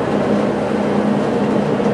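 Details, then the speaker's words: Whirlpool gas dryer LX15501A1 after replacing the thermal sensor switch for a no-flame fault, wires connected directly to the new switch and igniter: steady even drum rumble and low hum, no knocks or squeals; running normally. "I'm not sure if it'll sense it but we'll find out so I just heard everything's working properly"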